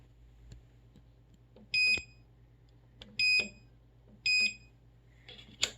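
Three identical bursts of shrill beeping about every second and a half in a quiet room; the washer won't start, cause unknown.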